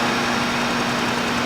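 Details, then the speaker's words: 2010 VW Jetta 2.0 turbo TSI with extended crank, heavy smoke, rich exhaust, flashing check engine light and P0301 cylinder 1 misfire: it runs rough just after start, with a hissy, uneven idle. "All right, so it smokes bad, it runs rough."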